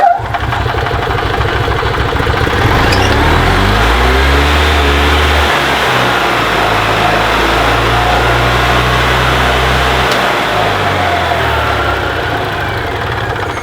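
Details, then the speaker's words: 2002 EZGO TXT gas golf cart that would not crank, fixed by repairing a broken wire; the backup alarm still does not work. The small single-cylinder engine catches, thumps steadily and pulls off smoothly without misses. It starts and runs normally. "But the cart starts and runs, so that's the most important thing here. That's what they wanted. They wanted the cart to start and run."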